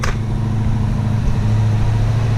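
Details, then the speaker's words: Freshly assembled Interceptor: steady, smooth engine note at a fast idle with an even low drone and no misses; owner says he put the idle up a little high. Idle speed set too high. "yeah i definitely put that idle up a little high"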